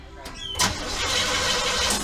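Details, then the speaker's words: Newly installed Holley 4150 carburetor, brief two-second crank-over test: sharp pop as it catches, then a rough burst of running; backfire ("reverse fire") spitting back through the carb on start. "Alright, shut it off. That was reverse fire right there."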